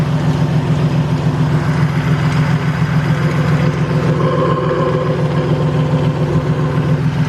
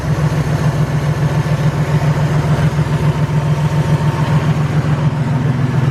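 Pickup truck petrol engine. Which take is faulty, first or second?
first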